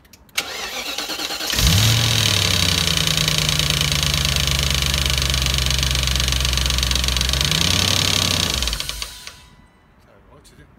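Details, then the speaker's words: BMW E34 540i M60 V8, first start after a new timing chain tensioner and oil change, fuel pump fuse refitted: it catches promptly and settles into a steady, even idle, then shuts off. There is no chain rattle or ticking, so it is healthy. "But now I'm going to put the fuse back in. The fuel pump fuse is back in. First start with a new oil and new tensioner."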